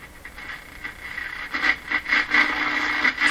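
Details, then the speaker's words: RCA Victor BP-10A portable tube radio after replacing its paper/wax capacitors, powered at reduced B+ (about 60 V), tuned across the dial: crackling static and whistles, clean at the high end and quiet at the low end, probably alignment; working normally. "Sounds very good at the high end of the band. The low end, pretty quiet. So that's just probably an alignment thing."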